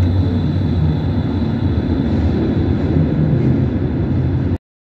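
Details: Steady low rumble of a tram rolling past on track fitted with wheel-rail friction-reduction (rail lubrication) technology; no high squeal rides over it, then it cuts off. Quiet wheel-rail contact, tram passing without wheel squeal.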